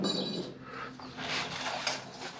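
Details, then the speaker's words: John Deere L120 48" mower deck pulleys spun by hand, five of six sounding bad, no grease fittings: dry, gritty rolling hiss with faint squeaks; rough, worn pulley bearings, later oiled. "one out of six bearings sounds good the other five sound like they're not long for this world there aren't any grease fittings on these"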